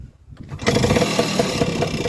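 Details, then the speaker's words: Vespa PX scooter before restoration, said to have a rebuilt engine: starts and settles into a fast idle with a light, quick metallic top-end rattle; source not pinned down. "It's got a rattle on it. We've got to understand what the rattle is."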